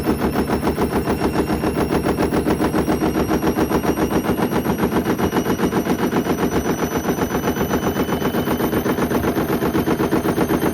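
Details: Hoover Link HL1682D3 washing machine with damaged body and twisted door seal, on spin: heavy fast regular banging three to four times a second, drum slamming the cabinet hard; extremely loud whole-machine rattling.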